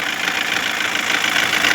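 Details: 2016 Toyota Corolla at idle, replacement engine already fitted, knock worsening: light fast ticking knock over steady idle hiss; unplugging connector made no change, wiring fine; mechanic suspects engine computer (ECU), replacement planned; cause unconfirmed.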